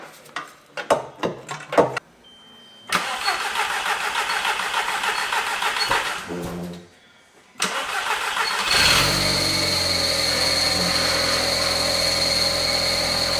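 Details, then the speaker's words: Barn-find Audi S3 parked nine years, new plugs, boost pipe and MAP sensor refitted; cranks, catches and settles into an even idle, much smoother, no stumble; release bearing noise noted, now stopped. "I mean, that's running a hell of a lot smoother."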